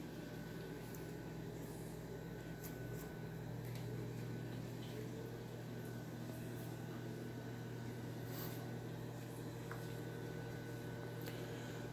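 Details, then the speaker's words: Vintage Sears 42-8120 fan on low speed: soft steady low hum with a faint even whir, nothing rattling or scraping; motor running quietly and healthy, normal low-speed running. "Lowe is really quiet it's that high that goes for a loop you'll see here in a minute"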